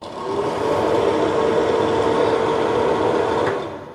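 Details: Old ceiling bathroom exhaust fan before replacement with a Broan-NuTone BES8: loud, steady whirring drone with a buzzy mid-tone hum from the noisy fan.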